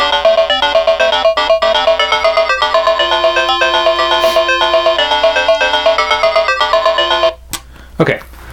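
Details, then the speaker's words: Known-good Atari Lynx model 2 with original LCD, playing Zarlor Mercenary at full volume: loud game tune with crisp distinct notes, no crackle, buzz or dropout; normal speaker audio, for comparison with a unit with bad capacitors. "there's that one and so you could hear that and actually again it's a full volume and the audio is pretty clear"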